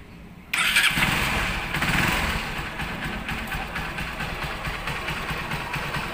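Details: Honda Supremo motorcycle after replacing worn intake and exhaust rocker arms and camshaft: engine fires up and settles into a steady, even idle with no cricket-like chirping; repair confirmed good.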